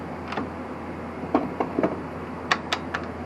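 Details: Yamaha DT 250 enduro two-stroke being slowly turned over after it ran hard and loud, wouldn't stop with the kill switch, then quit abruptly: irregular dull clunks and grinding, scraping clicks indicating internal damage. Cause suspected, not confirmed.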